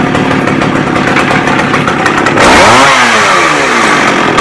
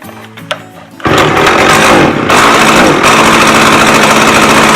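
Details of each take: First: McCulloch 610 chainsaw after a carb cleaning and turning the high-speed screw out another quarter turn: raspy idle, then a quick, clean climb to high revs that falls back smoothly; runs right. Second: McCulloch 610 chainsaw after a carburetor cleaning: it now idles well, but on throttle it revs, then sags and stumbles as if running out of fuel. The high-speed mixture is too lean.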